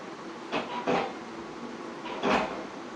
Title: Ceiling fan making weird noise - Turn the volume up for better clarity on noise